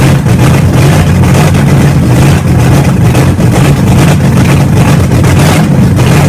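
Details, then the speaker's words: Car engine idling with no exhaust fitted while breaking in a new camshaft, after a new starter; deep, loud, steady open-pipe rumble with an even idle and no misses; normal running without exhaust. "so as you guys just saw we broke in the camshaft had the thing running had an idle and good we finally did it"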